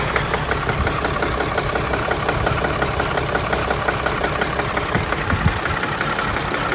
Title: 2011 Mercedes Sprinter Engine Rough Idle Problem pending code P2610